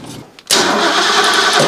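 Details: Engine after installing a new Pertronix Flamethrower distributor: short cranking burst and a ragged roar that nearly catches then dies; spark confirmed present, battery worn down from repeated cranking, crank no-start.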